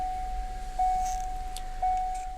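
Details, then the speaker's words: 1986 Ford Fox-body warning chime, which sounds if lights are left on: steady, clear mid-pitch tone repeating about once a second with soft pauses; normal, more soothing chime. "they switched to this chimer which is so much more soothing it still can be pretty loud and obnoxious but it's so much better i'll take it versus that crappy annoying buzz but listen to that sound that's so much better"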